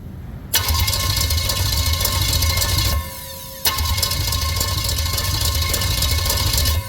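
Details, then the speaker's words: Starter cranking a bare flywheel with no torque converter fitted; a Turbo 350 transmission is still to go in, and the battery is connected with a remote trigger. Fast, even metallic whirr, pause, then cranking again; louder than normal but a clean engagement. "Okay. It's going to sound louder than it should because there's no torque converter hanging on there. The torque converter will act like a damper on the flywheel. So this thing should sound absolutely fine when it's cranking."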